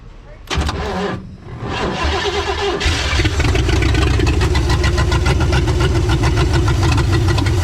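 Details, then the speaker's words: Freed-up formerly seized Chevy 400 V8 in a 1963 Chevy Stepside: cranks, catches, then lumpy, uneven idle with a stumbling beat; engine runs but rough. "that's gonna do it for this one boy she's rough all right let's try that again"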